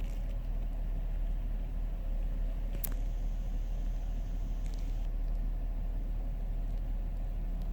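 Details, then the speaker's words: 2005 Chrysler Town & Country after replacing worn spark plugs that caused cylinder misfire: steady even low idle rumble, no stumbles. "And the van idles so much better now."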